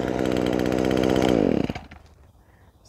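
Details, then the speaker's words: Echo SRM-225 two-stroke trimmer screaming steadily at full throttle under load, then winding down cleanly; previously bogged at full throttle, now fixed by replacing the air and fuel filters and cleaning the spark arrester. "anh chàng nhỏ bé này dường như đang chạy tốt khi tải."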